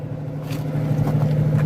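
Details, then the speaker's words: 1981 Mercury Capri, 200 inline-six carbureted, after Seafoam tank cleaning: low idle rumble with scattered soft exhaust pops and strong fuel smell; owner says carburetor runs super rich, replacement carb planned. "hear all that popping and like you can smell a bunch of fuel coming out of this thing too so I know this thing runs super rich"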